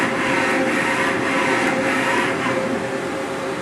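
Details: CNC machining centre, Y axis traversing after the Z-axis test. A smooth, even servo hum with a steady mid tone and no grinding or knocking; normal axis movement.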